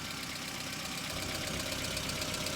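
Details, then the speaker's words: Hyundai Accent about a minute after a cold morning start, not yet warm: fast light ticking over a steady idle that keeps building, which the owner calls hydraulic lifter knock. Power steering pump also noisy, thought near end of life. "Что ж, как и обещал, сегодня утром я завел машину на холодную, это Hyundai Accent. А теперь я покажу вам стук гидравлического толкателя,"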